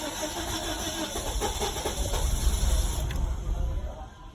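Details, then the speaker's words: 2005 Nissan Sentra 1.8, crank no start with no codes: uneven cranking with a brief catch that never fires while scan data shows cam/crank phase up to 60° instead of near 0; timing out of phase, timing job recommended. "it okay it made an attempt to start it showed a real bad number as far as timing it showed up to I saw 60° what it should be it should be zero or plus minus"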